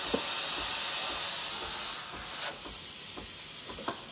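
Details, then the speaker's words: Breville Barista Express BES870 steam wand at full pressure, preheating before frothing milk for a latte. A steady high hiss with a soft pump pulse about three times a second; the pulsing pump means it is ready to use. "full pressure. Once you start hearing the pump pulsating, it's pretty much ready to go."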